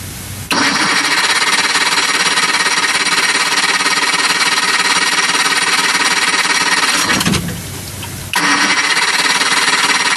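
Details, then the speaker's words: Johnson 60 HP outboard that lost spark while its remote-box fast start lever was being fixed: steady fast cranking for about seven seconds, a pause, then more cranking with no catch. Owner suspects a bad power pack or charge coil. Cranking, no start. "NOP so at this point I either have bad power pack or under the flywheel charge coil"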